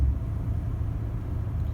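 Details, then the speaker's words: 2004 Chevy Trailblazer after a fan clutch replacement for code P0128: steady low hum with a mild even beat at held revs, fan staying quiet, about 500-600 rpm fan speed at 1700 engine rpm; the fan hunts only on speed changes; normal, no codes. "It tends to hunt on the actual fan speed. But when you're holding a steady speed, it's more consistent. Now at idle, it's settled down into a higher RPM or higher speed again."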